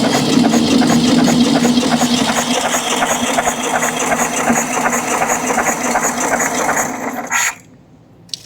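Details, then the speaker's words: VW Beetle engine that leaks oil and smokes, compression test before a reseal: starter cranks with an even beat for about seven seconds; none of the four cylinders reaches 100 psi, low but fairly equal compression. "so what do we do at this point we got four cylinders that not one of them makes 100 PSI when you're doing a compression test on it"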